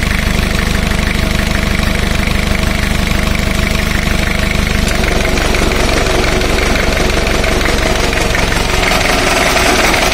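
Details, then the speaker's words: Four-cylinder diesel at low idle (about 928 rpm; speaker says it should have been raised to around 1500) during a cylinder cut-out power balance test: steady clatter dipping slightly as each cylinder is cut, even rpm drops, engine in good condition. "i have i should have increased the engine idle rpm to somewhere around 1 500 for smooth operation but anyways the engine is in good condition"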